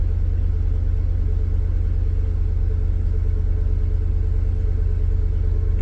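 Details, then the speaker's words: 1996 Chevy S10 4.3 V6 with Holley Sniper EFI and TSP distributor swap, cold start, 43° coolant, third start. Deep, steady, even fast idle with no stumbles or misfires. The earlier lean 19-18 AFR now shows decent fuel enrichment. "what it's supposed to now even though it doesn't learn when it's cold before the air fuel ratio it was like 19 18 so it was running fairly Lan"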